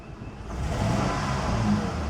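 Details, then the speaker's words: 2004 Honda Pilot revving with Denso iridium plugs and all coils connected: irregular stumble and uneven exhaust pulsing; cylinder six not firing, unchanged with its coil lead off, 12V injector test points to a dead injector. "since I had the intake off I remember cylinder number six wasn't firing at all um I took the coil lead off nothing changed"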